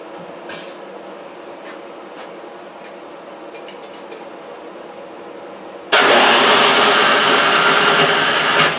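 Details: Toro 3521 snow blower (about 21-inch) with spark and compression but roughly three-year-old gas and a holed primer hose: quiet clicks, then catches and roars briefly on starter spray before fading; fuel starved through a gummed carburetor.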